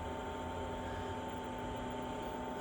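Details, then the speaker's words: Chinese diesel heater with blue controller during cooldown after switch-off, temperature symbols dropping: quiet even fan whir, steady faint tone, no rubbing or ticking, until it switches itself off; normal cooldown. "But gradually that'll just, over a period of time now, that'll just cool down and then shut itself off."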